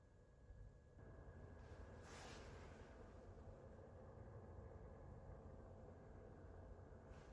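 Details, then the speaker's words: Tabyik 35oz dehumidifier in the bathroom after the original loud fan was replaced with a new quieter one, phone in the same spot as before: soft steady airflow hum with a faint thin tone and no rattle; noticeably quieter than before. "It is now more quieter than it was before."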